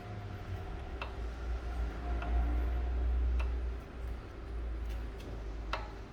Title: Honda Accord VTi L I-Vtec 2.0 Engine Knocking noise Coming from piston 1 and Piston 4